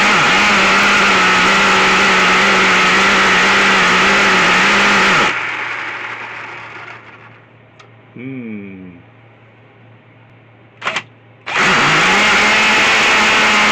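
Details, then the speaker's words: Schumacher XTR21 RC car nitro engine (Pro21R) during tuning: thin high-pitched buzz starts, then sags and dies as soon as throttle is applied; may want more fuel, high-speed needle being adjusted, cause unconfirmed. "so you can hear here it started but when I get the throttle on it dies straight away"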